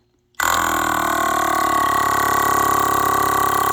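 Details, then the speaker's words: Second 12 V air-ride compressor removed from a C4500 Topkick/Kodiak, air filter removed, powered by a jump box, pumping against a gauge with no reservoir: starts abruptly into a steady, fast, even buzzing chatter with no knocks, immediately exceeding 100 psi; healthy. "You'll immediately see it gets over 100 psi."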